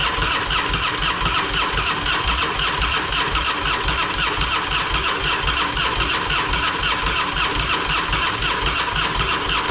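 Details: Harley-Davidson Fatboy, sat for a couple of years with a dead battery and plugged carburetor, after carburetor fix and fuel valve diaphragm replacement: fires straight up, settles into loping even potato-potato idle, about two pulses a second, no misfires; normal start and idle.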